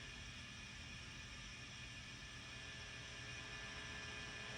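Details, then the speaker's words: Fender Deluxe Reverb reissue FSR tube amp after new filter pack board and microphonic preamp tube addressed; volume 10, reverb on: constant soft hiss with faint steady low hum, "not the noisiest"; hum source uncertain, possibly grid wiring near heater supply. "Here's your reverb. It's not the noisiest."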